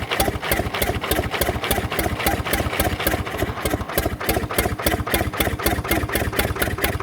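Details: Fordson Major diesel tractor, previously seized, crank-started on a temporary direct fuel line bypassing the filters: chugging idle with sharp even beats and a clattery edge; owner hopes stuck rings free up with heat; rough running.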